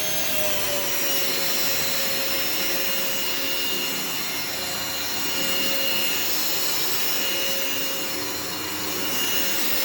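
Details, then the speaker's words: Vacuum with separate floor and carpet switches, first switch-on: loud, rough, hissy motor roar with steady high whine; motor sounds unhealthy, cause unknown. "headphone warning this unfortunately does not sound the healthiest so we've got a warning"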